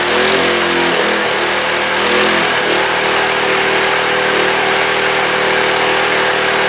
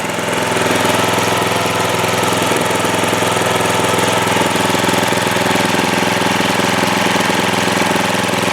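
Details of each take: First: Trailmaster go-kart small single-cylinder engine, after sitting over a year, now running after two carburetor cleanings with throttle response; steady buzzing idle far too fast, and the idle adjustment still needs to be found. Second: Trailmaster go-kart single-cylinder petrol engine idling normally after its carburetor was cleaned twice, having sat unused for over a year and not starting; an even, rapid putter with no misses.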